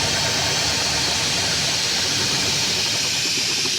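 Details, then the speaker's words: Big truck, diesel just fired up: a loud steady rushing hiss over a faint idle that doesn't change as pressure builds, a massive air brake system leak; it then dies, fuel suspected losing prime through a check valve and filter base not holding. "There you go. Fired up pretty good. It did. Massive air leaks."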